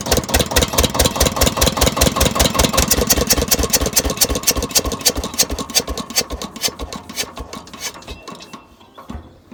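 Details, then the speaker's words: Old Winget one-ton dumper with an added starter motor, first start after sitting many years with oil topped up: a diesel chugging with regular, even firing beats that slow and fade at shutdown, no knocks; normal running. "well she runs and drives now it's just going through and uh greasing all the grease points"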